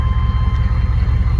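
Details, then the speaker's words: 1995 Chevy K1500 6.5 turbo diesel at idle, now roadworthy: even steady idle with smooth low chug and faint turbo whine; running clean and healthy. "Sounds really good. Take it back and let you listen to the exhaust. You can barely hear the whine of the turbo."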